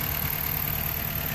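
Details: 2012 Chrysler 200 2.4L after a no-start with misfire codes, fixed by replacing and gapping the spark plugs: steady, even low rumble with no misses or knocks; engine idles cleanly now.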